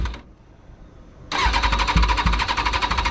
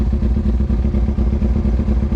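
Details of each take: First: Kawasaki Ninja ZX6R carbureted motorcycle, cold start on choke after rebuild: brief cranking, then it catches and runs with an uneven, lumpy beat; it runs rough when cold and fine once warmed up. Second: Carbureted Kawasaki Ninja ZX6R after rebuild, warmed up with choke open, idle set to 1,000 rpm so it won't stall at stops: steady four-cylinder burble, even firing pulses, no misses; runs fine warm, poorly when cold.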